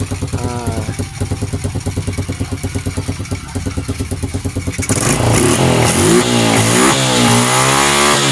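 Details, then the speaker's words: Honda Revo Absolute motorcycle engine after rebuild with worn bearings, shaft and clutch shoes replaced to cure a sandy grinding noise: steady even idle, then clean high-rpm revs without knocks or rattles, normal smooth running. "Oke Guys meskipun mesinnya kita geber-geber dengan e RPM tinggi namun mesinnya tetap halus e suaranya berarti kalau mesin ini telah Oke telah mantap"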